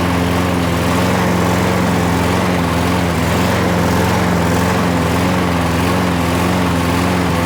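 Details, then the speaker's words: Toro Super Recycler mower with a 6.5 hp Briggs Quantum engine that, after winter storage, would only start on starting fluid. Running after repair with a steady, even single-cylinder drone at constant speed, no misses or surging: fixed. "wow guys well there you got it it's all it needed"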